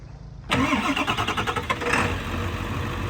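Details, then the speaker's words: 2000 Ford F-450 crane utility truck, 7.3 L Power Stroke turbo diesel, 6-speed manual, just under 109,000 miles: brief crank, fires almost immediately and settles into an even, steady idle with no knocks or misses; healthy start. "It has an IMT 3816, has a Power Stroke 7.3 liter turbo diesel that starts right up and sounds great."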